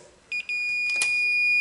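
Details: Continuity tester on a used snowblower's ignition key switch gives two short high beeps, then a steady tone only with the key halfway; no continuity in other positions, so the switch is shot.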